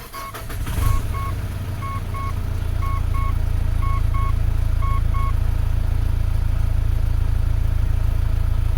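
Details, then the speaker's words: 2008 Mitsubishi Pajero diesel after brake booster repair: engine catches and settles into heavy, slightly uneven idle under dash chimes, check engine light on; sounds like a misfire, cause not found. "the engine is doing something wild uh the check engine light was on and I did notice that it was on prior to me starting that's a different thing altogether but I do not like that that sounds like uh diesel"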